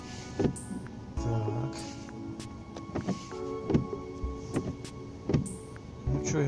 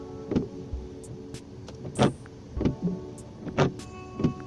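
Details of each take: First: Renault Megane 2 windshield wiper on dry glass after bending the arms: strokes about every second with light rubbing, no harsh chatter; squeak gone. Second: Renault Megane 2 windshield wiper on dry glass before adjustment: short rubbery chirps each sweep, about every second and a half; fixed by bending the wiper so the blade rubber angle is corrected.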